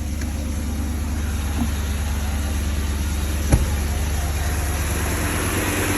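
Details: Warmed-up BMW M62B35 V8 after VANOS units were reinstalled with corrected timing, having previously been fitted wrongly and knocking: smooth, steady, even low beat at idle, no ticking or rattle from the timing end.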